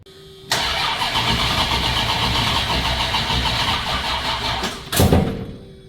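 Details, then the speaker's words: Newly installed 360 Magnum V8 in a Dodge Coronet, first start attempt on a jump box because of a dead battery; the starter drags the engine over sluggishly without firing. "H dead battery I got it on the jump box or the jump Yukon let's see if it'll fire up now"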